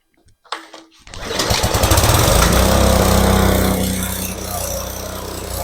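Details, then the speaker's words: Craftsman lawn edger/trencher that sat unused about 5 years in a garage, after carburetor cleaning; single pull, engine fires within a second and settles into an even, steady chug without stumbling or knocking; smoking, owner thinks from oil on engine; normal start. "Well, that was very surprising and a good outcome. I mean, that first pull, it started right up."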